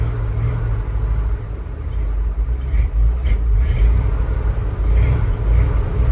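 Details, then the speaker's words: 1976 Ford F-150 with a resealed 360 V8; lumpy, uneven low rumble with irregular loping beats, running rough and not yet able to hold an idle. "and she's running still not very happy"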